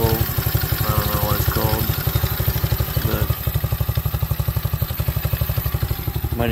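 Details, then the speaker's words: Apollo 125cc ATV small single after swapping the lean factory carb for an adjustable aftermarket carb, more power than stock: even thump about four times a second with light mechanical chatter on top; owner says valves are a little noisy. "some vowels on this thing kind of here a little noisy but i think sounds good it's got a lot more power than stock carburetor too"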